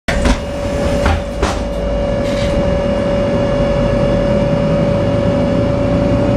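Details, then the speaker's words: Dan bus 92-001-01 driving on Sderot HaHagana, Haifa: a steady high whistle holds one pitch above the diesel engine drone; abnormal unpleasant engine whistle, source unclear. "בליווי שריקה רעש מנוע חריג לא טבעי"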